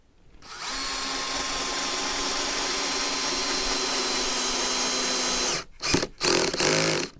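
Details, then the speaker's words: Cordless drill on speed 1, clutch set to 7, driving a screw into redwood door pieces: steady high whine, then short ratcheting bursts as the clutch slips once the screw is fully in; if not fully driven, increase the clutch number. "so you can hear the clutch slipping that means it's tight enough so if it doesn't go all the way in and the clutch is slipping you can just increase the number here"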